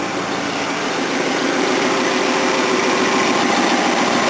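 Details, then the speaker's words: Roughly 42-year-old Datsun small four-cylinder after valve work, with valves reseating past carbon build-up: even, soft, steady idle beat with no knocks or misses, only a little noise; a small exhaust leak remains; smooth, healthy idle, far less puttery than before. "That's what you want to hear. Smooth running. A little bit of a noise, but nothing major."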